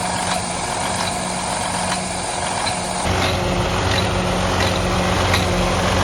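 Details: Detroit DD15 truck diesel at idle, which also has excessive regens and fuel draining back to the tank overnight: sharp, fairly regular tick three or four times a second; engine knock, cause undetermined.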